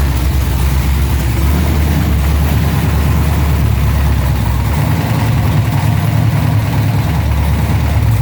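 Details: LS-swapped Monte Carlo SS G-body after a low-oil-pressure fix, run to check the oil pressure, no shavings found at the cam or filter: a deep, steady, even V8 idle with no knocking or ticking; normal idle.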